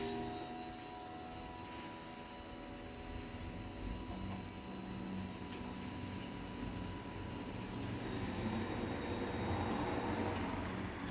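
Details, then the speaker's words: Chamberlain Whisper Drive Plus HD800D DC belt-drive garage door opener on one-piece T-rail, from a wood door: quiet, steady motor hum with faint even whine during travel, quieter than a 3500; normal run, passing traffic audible. "this thing is actually uh quiet it's quieter than my 3500 is this thing actually sounds really good uh it came off of a wood door so I mean little surprised it sounds as good as it does"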